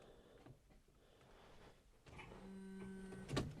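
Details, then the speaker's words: Jaguar S-Type V8 fuel pump, removed after failing to start, bench-tested then refitted and powered with ignition on: spins up with steady, even low hum, no rattle or strain; fuel pump running normally. "we have a working fuel pump so I'm gonna put this all together and we'll see if we get Prime up at the fuel rail"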